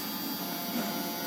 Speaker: Nah, ini mesinnya sangat-sangat stabil banget kawan-kawan.